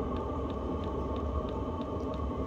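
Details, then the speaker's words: VEVOR 8kW 12V all-in-one diesel air heater, first run with cover off, smoke clearing: steady hum with soft regular pump ticking about three per second speeding up, exhaust louder and faster, air warmer and stronger; normal warm-up. "pump's getting faster exhaust is getting a little bit louder and faster the air coming out of here is getting warmer and stronger"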